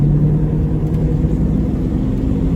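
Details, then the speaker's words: Ford EB2 Fairmont Ghia with a 302 Windsor V8, about 32 years old, first drive after a muffler change: deep, steady rumble under way, smooth and even with no knocks, ticks or misses, running fairly cool, a healthy engine. "It's got a nice exhaust note after Brian did that exhaust."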